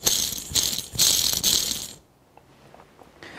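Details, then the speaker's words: Treadmill induction motor from a bandsaw, removed ball bearing spun by hand near the mic: a loose, gritty metallic rattle. Very noisy at the motor's 1,700 rpm; replacement bearings are quiet. "is really quite noisy and you multiply that up to 1,700 rpm it definitely makes a lot of noise"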